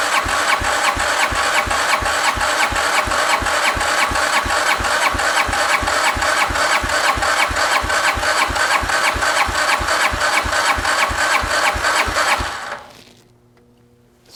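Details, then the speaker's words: 2009 Arctic Cat DVX 300 single, long stored, cranked on a 100 amp start with the starter solenoid jumped for a compression test: steady, even chuffs with no catch. The reading is 160 psi, with a little oil in the cylinder. "We at 160 lbs. Honestly, that's pretty good for what this is. I wasn't expecting to get that high."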